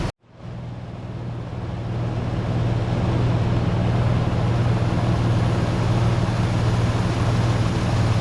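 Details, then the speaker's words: 1988 Toyota FJ62 Land Cruiser, about 290K miles, idling after ignition timing adjusted by ear: steady, even low rumble, smooth firing, no misses, knocks or pinging; sounds pretty good. "all right that sounds pretty good all right two uh two test drives later and I think I've just basically returned it to exactly where it was before I started doing this"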